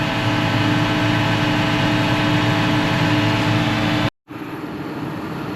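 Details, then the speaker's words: Tractor-driven mower just reassembled after repair, run then revved: even tractor drone with steady mower hum, no knocks, rattles or rubbing; nothing warm, running smooth and sound. "Seems to be running nice and smooth, just the way you want it."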